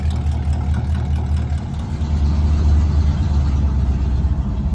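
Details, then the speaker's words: Squarebody truck converted from propane back to gasoline, carburetor, possibly running a little rich. Deep V8 rumble climbs with the throttle over a choppy cam lope, revving cleanly: normal revving with audible cam. "It might be a little rich, but I revved it up. So the cam sounds really good. You can really hear the cam now."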